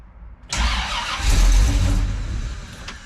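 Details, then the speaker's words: Old carbureted car, December cold start; cranks and catches, roars briefly as throttle opens, then sags and dies; shuts off as soon as throttle is opened while cold. "As soon as I open it up, it shuts off."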